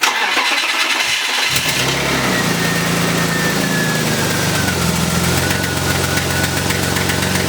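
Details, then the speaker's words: BMW E36 exhaust after repair attempt, engine started and idling: quick puffing tick riding the exhaust note; header not tightened properly, still leaking. "all right guys so as you did here the car is still doing the like so exhausting somewhere I did not do the header like tighten that properly"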